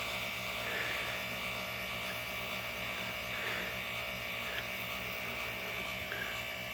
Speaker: okay initial startup works fine then makes a grinding noise